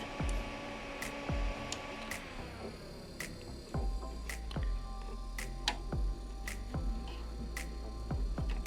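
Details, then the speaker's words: Dreiha CBX portable fridge/freezer showing F2 error: moving a cable makes the condenser fan's soft hum sag and slow, with clicks, then recover; fan cuts out intermittently, wiring fault found, fan needs replacing. "okay so when i move this cable here the fan changes speed uh-huh"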